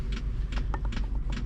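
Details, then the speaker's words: Chinese diesel air heater newly installed in a van, warming up: dosing pump gives light sharp ticks two or three a second over quiet background, speeding up; normal pulsing. "But anyway, pump's getting faster."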